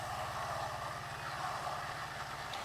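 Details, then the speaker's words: Water pump keeps running and won't cut off when the outlet valve is closed, steady hum with a hissing, rushing air sound inside; owner suspects air not fully bled from the pump. "ถ้าไม่หยุดก็คือแสดงว่ามีปัญหาเนี่ยมันไม่หยุดแล้วมันรู้สึกเหมือนมีเสียงเหมือนมีเสียงอากาศอยู่ข้างในเหมือนมันไล่อากาศไม่หมดอ่ะ"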